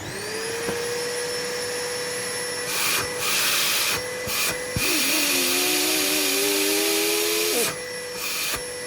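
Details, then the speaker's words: Numatic Henry HVR200 vacuum with homemade motor brushes, filter fitted, running outside: steady high motor whine with airflow rush, pitch shifting as the intake is covered. Suction improved but still weak; a winding may be cooked. Vacuum running. "That's a lot better. Heat. Heat. You can hear it in the background probably. I've put it outside."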